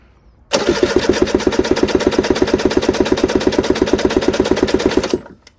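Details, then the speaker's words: Aprilia RS125/Tuono two-stroke with 3,000 miles, reportedly a new piston and Nikasil barrel, cranked on the starter at wide-open throttle with no firing during a compression test. Weak pulses; only about 100-110 psi against roughly 210 on a previous RS125, so definitely something wrong. "So as you can see, again about 100 and what was that? I don't know, about 105, 110. So that's really rubbish. So yeah, there's definitely something wrong."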